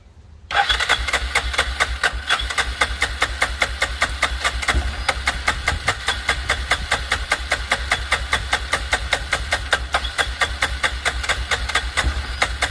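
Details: 2006 Arctic Cat 400 4x4 quad, fresh gas added and run off a jump pack: starter churns steadily at two to three beats a second for over twelve seconds without catching; later started with brake cleaner, owner suspects fuel not being drawn.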